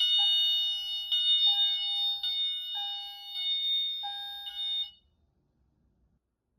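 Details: Notifier NFS-320C fire alarm panel: bright electronic chime repeating about every 1.1 seconds as detector 3 goes into fire alarm after being activated with smoke.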